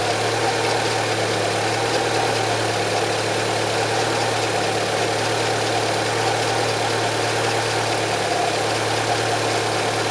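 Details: Renault Logan, K4M engine, DP2 automatic, idling about 5 minutes after antifreeze change (Felix coolant) while coolant warms toward thermostat opening at 95 °C; steady even idle hum, constant low drone, no knocks or misses; normal warm-up idle.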